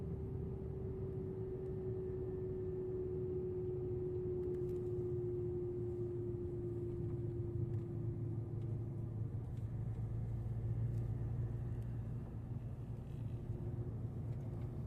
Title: Audi Q5 strange whine from drivetrain. What is this ??? #audiq5 #whine #noise